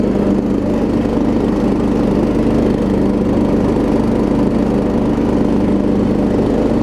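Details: Troy Bilt Pony riding mower after its no-start was fixed (loose starter solenoid connection, new battery), with new blades: steady, even drone holding speed while cutting, no misses or surges; normal running under load.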